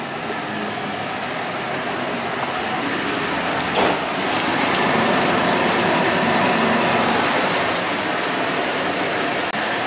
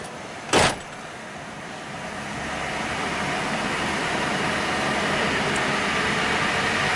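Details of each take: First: Worn front wheel bearing on a truck that hums worse turning right, one front wheel raised and spun in gear: steady rough roar building with speed; the left front is judged the bad bearing, right front quieter. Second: Truck with one front wheel raised and spun in gear: a short clunk, then a smooth, steady whir from the right front; quieter, healthy bearing, so the humming bearing is the left front (hum worse turning right).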